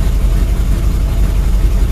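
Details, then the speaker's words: Carbureted car engine at cold idle about 5 hours after soaking the carb with starting fluid (throttle open and closed) to clean it; still ice cold and slightly flooded, yet idles steady and even with no surge, misses or stumbles: normal cold idle after carb cleaning. "it's still ice cold and it's idle and fine see that if I did that with carb cleaner it wouldn't work"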